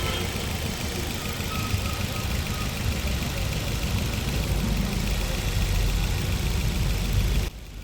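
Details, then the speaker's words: Maruti Suzuki Ertiga petrol engine with aftermarket CNG, after timing chain refitted and timing marks aligned: idles with a steady, even low rumble and no missing beats, where before it missed badly on two cylinders with no pickup. "जैसा कि दोस्तों आपने देखा पहले तो आइड ंग में भी बहुत मिसिंग कर रहा था पिकअप तो बिल्कुल नहीं था लेकिन अभी आप देख रहे हैं कंप्लीट चल रहा है"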